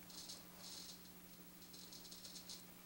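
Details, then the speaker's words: Ernie Ball Music Man StingRay bass through an amp, after resoldering a bad connection: irregular dry scratchy crackle over a steady amp hum, scratchiness remains, so the worn pot is to be replaced. "yeah see that scratchiness is still there so we may need to replace this pod"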